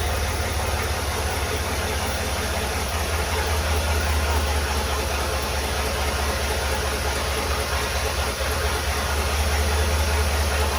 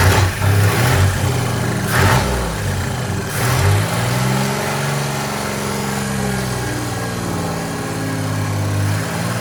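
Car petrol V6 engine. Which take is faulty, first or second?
first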